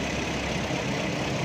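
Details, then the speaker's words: 2009 Toyota Corolla GLi 1.3 after full tune-up for high fuel consumption and weak pickup, ignition coils checked: steady, even, quiet idle hum at about 900 rpm with no misses, knocks or jerks; running smooth. "दोस्तों ये आवाज़ कितनी खामोश है गाड़ी की। तो ये गाड़ी हमारी बिल्कुल स्मूथ है।"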